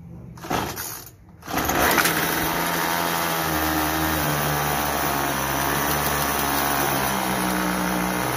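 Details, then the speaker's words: Troy-Bilt TB32EC two-stroke straight-shaft trimmer, stalling on trigger and head spinning at idle: idle buzz steps up and down as the carburetor idle screw is turned, counterclockwise raising rpm, clockwise lowering to stall. "so as you heard counterclockwise puts in more rpms clockwise stalls it out puts in less so you want to get that happy medium where it's not stalling out your head is not spinning"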